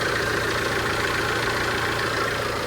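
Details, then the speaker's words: Tata Safari Storme diesel idling quietly and evenly after repair; the chattering "chan chan" noise from the front of the engine that several mechanics could not fix is gone, with the AC compressor confirmed fine. "बिल्कुल silent हो गई है जो बीमारी थी अपनी मिट चुकी है"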